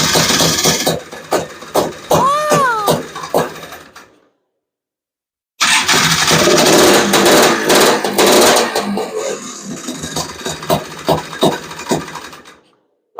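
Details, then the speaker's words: Honda Odyssey FL350 with a 38mm Lectron Billetron long-body carburetor, morning start on choke: it catches but pops and stumbles unevenly, dies and restarts rough. Running poorly from a mistuned carb; the metering rod was to be adjusted. "yeah I'm not I'm not even going to I'm not even letting that run for 10 minutes doesn't even sound good"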